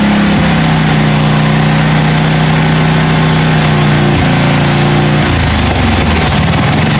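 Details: 1982 John Deere 108 lawn mower being built into a mud mower, first start after fitting a different carburetor: loud, steady single-cylinder drone stepping down in pitch as revs settle; runs smoothly and holds idle.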